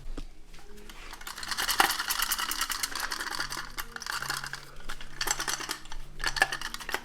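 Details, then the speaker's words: Mitsubishi Evo X SST gearbox, removed from the car, with the torque damper out: loose, irregular metallic clicks and rattles as the damper is turned by hand. Its internal springs are broken. "you can hear, the springs are broken in the torque dampener."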